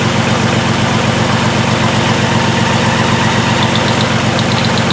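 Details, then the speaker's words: 2002 VW Jetta VR6 with severe misfire and injector circuit faults P0262/P0206, during a test-light cylinder drop test: lumpy, loping idle. Cylinder 6 (and 1) show no RPM drop despite having spark. "so this looks like number six no RPM drop definitely do have spark"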